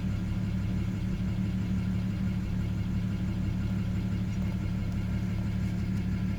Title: bmw e90 335i idles up and down bad injectors 1 and 2 cold start